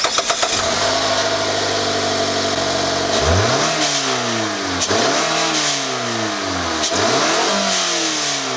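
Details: 2019 Mazda 3, 2.5L Skyactiv-G direct-injection inline four, 6-speed automatic, cold start; fires quickly, settles to a high, even cold idle with light fast ticking from the direct injection pump; normal.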